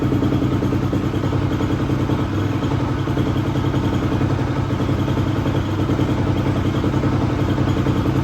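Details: 2004 non-running 250R dirt bike bought and revived: steady single-cylinder thumping at fast idle with even pulses. The engine sounds healthy; a light clanking in the background is not from the motor and its source is unknown.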